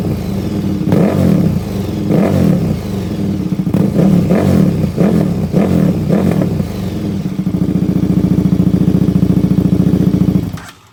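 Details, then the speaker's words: KTM 1390 Super Duke twin with a newly installed Dominator full exhaust, not yet tuned, fault codes present: repeated sharp revs rising and falling, then a fast steady pulsing idle, a very loud raw exhaust note. "but it is really loud very loud sounds good"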